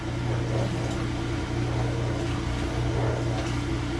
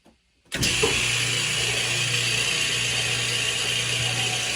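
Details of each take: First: Kenmore/Whirlpool Elite direct-drive washer, model 110.22952102, after replacing the broken motor coupling; steady low electric hum with even water-moving whir, no grinding or rattle. Normal drain pump operation after repair. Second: Kenmore Elite direct-drive washer, model 110.22952102, on spin cycle: loud harsh clattering racket that winds down, and the drum won't spin. Broken direct-drive motor coupling, later replaced.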